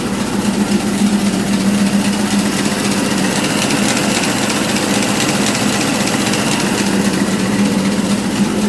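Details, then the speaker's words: Model T Ford with freshly rebuilt Model NH carburetor fitted: steady, even low idle with a soft regular beat and no misses, knocks or surging; the engine is back up and running well. "yeah she's back up and looking good running good"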